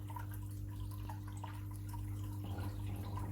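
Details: Eheim Quick Vac Pro gravel cleaner modified for stronger suction in a 600 L tank: even low motor hum under watery drips and gurgles; running normally and now sucking heavy particles.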